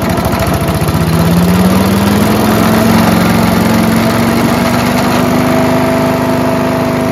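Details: Mighty Mac wood chipper/leaf shredder, Briggs & Stratton engine, just restarted after choke flap replacement: loud steady run with heavy shaking drone, tone slowly rising as it settles; violent vibration from flails unbalanced by years of caked mud.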